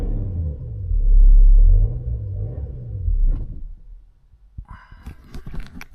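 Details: BMW X5 at kerbside, revved: engine revs up, sags, then fades out and stalls about four seconds in, leaving only clicks. Scanner shows current fuel pressure control and fuel pump faults plus cylinder 6 injector activation current fault; mechanic suspects the injector, not confirmed.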